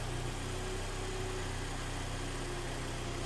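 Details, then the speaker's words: Kia Sportage 3, AWD automatic, about 180,000 km, after engine rebuild with break-in oil: warmed-up idle, quiet steady low hum with no whine or drone; gearbox no longer noisy, normal. "всё работает всё коробка не шумит прогрелась видишь"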